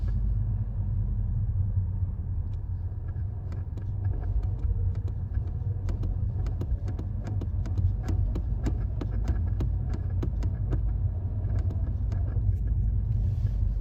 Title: 2016 Audi TT Mk3 Chatter sound on light throttle (bad transmission mount)